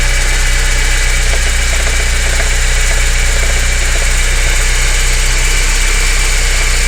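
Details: BMW 318is E30 at idle: steady idle with a dull, uneven ticking beat of about four per second over a deep rumble; abnormal engine noise, cause unknown.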